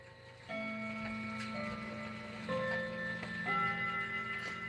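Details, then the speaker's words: 1978 Howard Miller Bardwick clock: quiet, even ticking under soft ringing chime tones, a steady unhurried beat with nothing dragging or skipping; normal healthy running. "I can show that a little later. See? That's nor that's normally what it sounds like."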